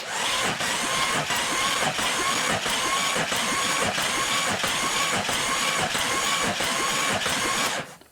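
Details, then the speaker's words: Jeep 4.0L engine after cylinder head installation, oiled, cranked with remote starter, valve cover off: even rhythmic chuffing three to four pulses a second, cylinders pushing equally; normal cranking compression. "I have a remote starter connected, so I can move this and we'll watch. And you can watch and you can hear it making compression."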